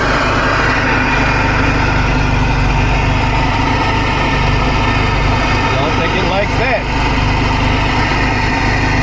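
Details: 1975 Volvo 245 with 16-valve turbo swap and LH2.2 injection, 13 volts: loud, uneven, lumpy idle that never settles cleanly; faulty air mass meter upsetting the idle mixture.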